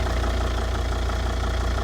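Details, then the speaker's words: Volvo S80 D5 five-cylinder diesel, automatic, idling in cold snowy weather, phone held near the bonnet by the intake; steady even low idle with no knocks or rattles, "quieter than most petrols"; healthy. "I swear to God, that is quieter than most petrols. Beautiful 5-cylinder D5."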